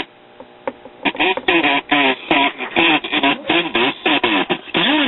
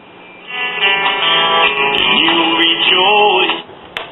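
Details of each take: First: 1939 GE tombstone tube radio at 120 volts, unrestored: reception harsh and buzzy, voices and music breaking up with rattly distortion from the severely damaged speaker; leaky coupling capacitor also suspected. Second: 1939 GE tombstone tube radio, after lubricating the still-stiff tuning condenser; speaker looks worn and may need repair or replacement. Station plays clean but thin with treble cut off as on AM, no hum or crackle; set working normally.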